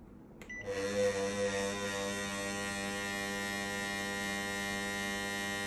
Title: KDK M40KS rumbling noise